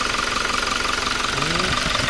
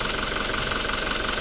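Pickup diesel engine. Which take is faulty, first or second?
second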